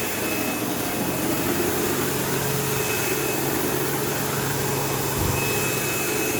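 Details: Sebo Automatic X5 upright vacuuming a living room: constant coarse buzz, steady hum and thin high whistle over suction roar, occasional belt-slip-like squeal; belt had tension; owner suspects worn material where the end pulleys seat the brush roll on its shaft, causing play.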